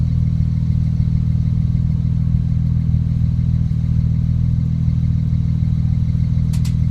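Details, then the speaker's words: 2008 BMW E90 335xi xDrive, stock N54 twin-turbo, cold start after sitting overnight, with intermittent misfires despite new Bosch plugs, NGK coils and HPFP and cleaned injectors: an uneven, lumpy idle around three pulses a second; definite misfire. "so either I'm oversensitive or I can feel the misfire yeah definitely misfires"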